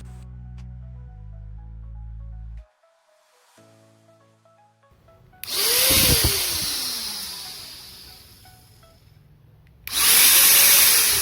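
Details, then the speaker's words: Jaco EZ Hoover vacuum cleaner after fixing the worn, rough-sounding rotor bearing and refitting the pulley nut: motor spins up to a clean high whine, coasts down and spins up again with no grinding — normal motor run. "Rotasinya sekarang sudah lancar, teman-teman. Semuanya kembali normal. Semuanya berjalan lancar dan berfungsi dengan baik."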